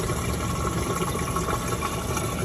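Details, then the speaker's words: LG direct drive washer with a no-drain complaint, after drain pump repair, running a drain cycle with drum full of water: even low pump hum and steady rushing water, no grinding; draining normally. "Okay, that's the wash cycle. Water on the tip going bye-bye. Can you hear it? Yeah. You hear it draining back there?"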